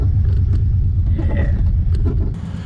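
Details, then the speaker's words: 1950s Ford with a flathead V8, unregistered since 1981, first drive after an ignition fix: deep, even low rumble under way with no knocks, ticks or misses. Good temperature and oil pressure. "I like that sound I mean no spinnies but we're moving oh she sounds mean yeah"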